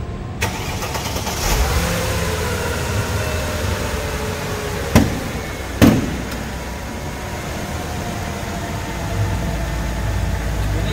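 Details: Mercedes-Benz W203 C240 Elegance, 70,000 km, after all-new engine parts, suspension and electrics: engine fires up then settles into a quiet, even idle with a couple of door or hood thuds; normal start and idle.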